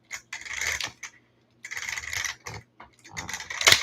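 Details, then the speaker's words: ARRMA Kraton 6S with the rear wheel wound up by hand: long slack before drive engages, then sharp metallic bangs and clicks as the gear skips; blown center differential crown gear. "Oh, that sounds tasty. Yeah, something's going on in there that's no good. And you notice it took me a while to wind it up."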